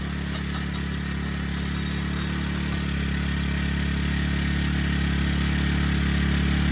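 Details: Honda Harmony FG100 small tiller, carburetor fixed after sitting: single-cylinder runs smooth and steady with a constant low thrum, no surging or hunting; normal running.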